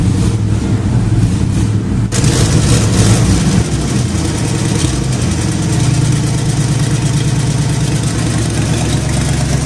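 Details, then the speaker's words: Jeep idling before replacement of the exhaust manifold donut gasket: loud, raspy engine puffs unevenly at idle, then settles into a harsher, louder run; exhaust leak at the manifold donut. "a get onto this and I'm gonna go ahead and replace the exhaust donut but before I do that I'm actually for a dual purpose I'm going to fire it up so number one you can hear how badly it sounds right at the moment"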